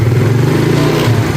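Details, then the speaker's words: Yamaha Mio Sporty carburetor scooter, after replacing worn, loose needle jet and carb vacuum: steady, even note under light throttle with no stumble or hesitation; earlier stutter on initial throttle was the worn needle jet. "ya dia tidak merebet ya Oke berarti memang penyakitnya di netherjet itu ya dia sudah renggang"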